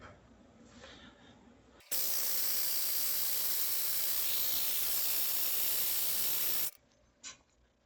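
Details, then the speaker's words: 2024 Yamaha GP HO personal watercraft engine after rebuild with new piston rings and bearings, cranked on the starter to prime oil up to the camshafts: a loud steady hiss of air being pushed out for about five seconds, then cutoff, during oil priming. "You can hear air coming out. So I think we're getting close."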